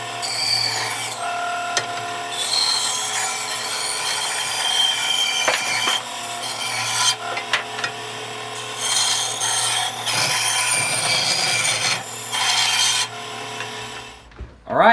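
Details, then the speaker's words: Bandsaw after repair, wheel knocked back onto its bearing and running true, belt holding: steady motor with rough rasping bursts cutting old oak flooring, no slipping or squeal; cutting normally. "she works I'm glad I can fix it it'll be good tool to use"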